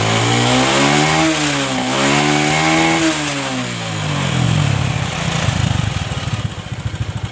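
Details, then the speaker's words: Honda Supra 125 after carburetor fix (shimmed float needle, set that way because of carburetor flooding, caused fuel starvation and bogging), air screw adjusted: revs climb and drop cleanly without hesitation or popping, then steady even idle; fixed. "Di sini penyakitnya sepeda motor ini sudah sembuh karena tadi melepek-melepek ya akibat kekurangan bahan bakar."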